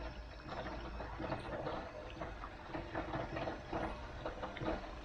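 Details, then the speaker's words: Air source heat pump circulation pipework, pump power raised to about 50–60 after filter clean on a cold day around six degrees: faint irregular gurgles and spluttering bursts over water rush as trapped air clears, then goes quiet. "oh there you go lovely little air coming through and that goes quiet"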